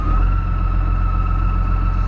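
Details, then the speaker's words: Massey Ferguson 3690 tractor with McHale Fusion 2 baler in heavy dense grass: steady high screech over the tractor drone as a chopping knife twisted sideways in the chopping box; no damage, knife replaced. "That doesn't sound good. So, after a brief interval there, a knife decided it didn't like being straight, so it had to go sideways in the back of the chopping box."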